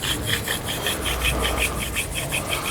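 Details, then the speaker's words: BMW E92 328i front wheel bearing removed from the car: a gritty, rasping grind pulses about five times a second as the loose hub bearing is turned by hand; a noisy worn bearing. "Our old bearing is out, and this one was a little bit noisy,"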